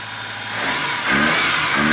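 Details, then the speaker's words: Carbureted BMW E30 after the intake was removed: quick, clean blips from idle with no hesitation, where throttle response was usually delayed. Normal revving, sounds healthier. "oh yeah it never has that usually it's delayed yeah weird i wonder if you just took something loose like you just got something right out i don't know you know what this sounds like healthier now it's good"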